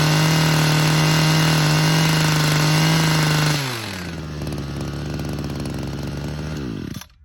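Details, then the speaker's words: Hedge trimmer two-stroke with a JB Weld-repaired joint, just after a carburettor adjustment, screaming on its 10,000 rpm limiter with a fast, even stutter, then dropping away. Owner thinks the intake air leak remains. "Limiter is at 10,000 and we're just on that limiter."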